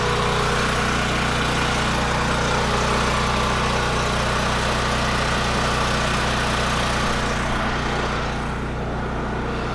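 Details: Firman generator running on propane after start: loud, steady engine drone holding even speed with no surging, misses or knocks; running smoothly.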